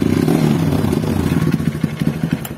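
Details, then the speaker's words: Honda CRF trail bike bought used, engine previously rebuilt, seized while riding then restarted: rough, clattery rev with uneven knocking and scraping; loose piston slap from bore scored by earlier seizure. "kasar kedengaran suara piston yang oblak diakibatkan bekas ngejam atau bekas macet ke boring seperti itu."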